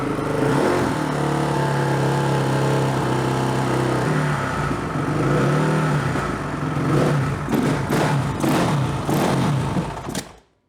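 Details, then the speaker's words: Honda CRF450R single-cylinder on first start after engine reinstall, choke on, run from auxiliary fuel tank: steady throbbing idle then uneven blips that stumble rather than snap up; runs but needs tuning, cause not confirmed. "Well, it runs. Needs a little tuning, but it runs. Well, we got to do a little tuning on her, but she does run."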